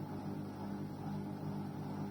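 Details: Arçelik 6343 dishwasher, switched off with the door closed: a steady low VUUUVVV droning hum that stops when the door is opened, and a reset attempt doesn't fix it.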